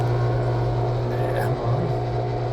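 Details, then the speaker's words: 14 kg drum washing machine, before repair: a constant low droning hum with a rough, rattling, boiling-like rumble while the pump runs. The cause is a failed bearing or other fault in the drain pump motor at the bottom; replacing the pump motor made it quiet. "드럼 세탁기를 사용하시다 보면 이렇게 끓는 소리가 나는데, 이것은 하단부에 펌프 모터가 베어링이 나갔거나 이상이 있어서 이렇게 소리가 납니다."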